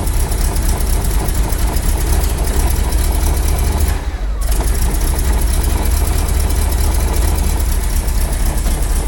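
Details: Rolls-Royce B-series 5.6 L eight-cylinder in a Saladin armoured scout car, started cold at -6 °C after work to cure a misfire: deep, steady, even idle with no stumble or knock; running cleanly after the repair.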